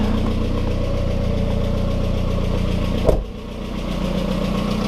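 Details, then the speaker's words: Turbocharged engine just rebuilt, running with hood open after turbo piping and water pump work: even, steady idle with smooth low thrum, one brief dip, no rattle; sounds fixed, normal idle. "It seems like it's fixed though. There's no ugly rattle, which is all right."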